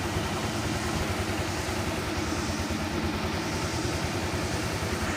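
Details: Honda Click 125i V2 scooter after fixing engine dying at low idle: smooth, even idle with steady low hum, no stumbling or dying; idling normally.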